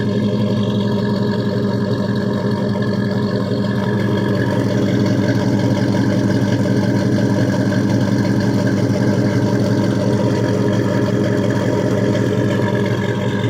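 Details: Jeep cold start with a new DieHard battery, 10W-30 oil, nearly 50 psi oil pressure cold; owner notes mildly worn hydraulic lash adjusters that clatter. Smooth, even idle with a steady low hum, no ticking or knocking, while warming up: normal warm-up idle.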